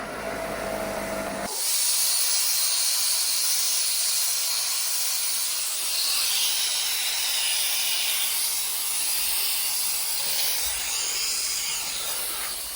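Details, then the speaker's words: Trash-picked air compressor after tightening the loose fitting, hose reconnected without a clamp: loud steady hiss of escaping air, source unclear; owner suspects the regulator, found broken inside, though pressure began building. "It's definitely leaking air through there, but it was starting to build pressure."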